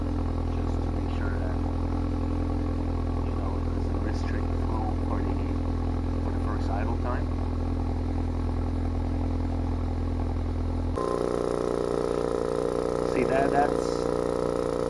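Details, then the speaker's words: Ford Focus RS at cold idle: a steady deep exhaust drone, then the tone shifts, with the exhaust valve open after startup. It sounds bad from outside; the owner wonders if the valve may be broken but chose a delete plug instead of a Ford visit. "Obviously, it doesn't sound too good when you're outside the car, so that's the main reason why I wanted to get the delete."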